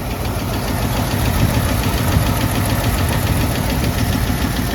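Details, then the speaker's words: AMC 327 V8 Jeep idling after exhaust manifold cleanup and new gaskets quieted it: deep rumbling idle with an uneven knock about three times a second; started fine at 30 degrees; owner suspects clutch dragging or hitting after a loud pop, cause unconfirmed. "Is that what my knock is? Because this motor's running way too good to be knocking."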